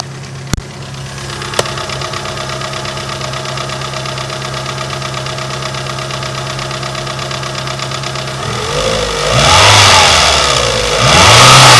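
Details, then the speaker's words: Renault Megane 2 1.6 automatic, after an engine flush and a new intake camshaft, idling over a loud exhaust (the flex pipe needs replacing): sharp, rapid ticking that speeds up when revved. The hydraulic lifters knock very hard, and the knock is expected to grow as the engine warms. "Но даже за таким громким выкупом мы уже слышим как у нас стучат гидрокомпенсаторы очень жёсткий стук"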